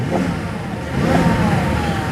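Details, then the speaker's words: BMW F01 750Li at an auction lot: smooth at idle, but revving up from idle the rise is uneven with a slight stumble; misfire on the upturn, cause unconfirmed. "got a misfire yeah you can hear it I can hear it on the on the upturn see she's nice and smooth now but watch this can you hear it"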